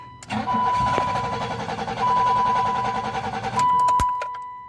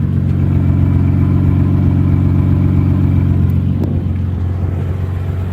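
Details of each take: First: 1986 BMW 325, 2.7 straight six with electric fuel pump, first start with about a gallon of gas added: long uneven starter cranking, never fires; owner suspects slow fuel priming or lost spark. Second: 1986 BMW 325 with 2.7 straight six, first start in weeks after a hard, long crank; deep steady six-cylinder idle hum, even for a few seconds then fading under other noise; clean healthy idle.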